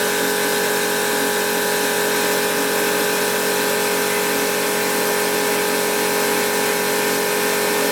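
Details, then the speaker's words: Milling a BSA Fury 350cc DOHC engine casting at slow speed with a cutter of unknown quality: steady, high-pitched whir with even cutter-tooth chatter, cutting cleanly and normally. "So I think the next thing will be to switch on the machine, and I've got it running slowly because I don't know how good this cutter is. There we go, and you can see it's cutting okay."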